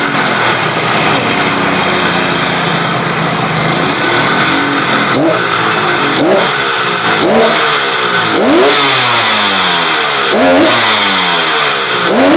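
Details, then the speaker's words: KH250 three-cylinder two-stroke motorcycle revived after 32 years in storage. Sharp throttle blips rise and fall cleanly and settle each time to a calm, even idle, showing balanced cylinders; normal revving and idle. "contoh misalkan pada saat kita gas dari nol begini teng teng nolnya kan tenang Nggih itu menunjukkan bahwa mesin tad"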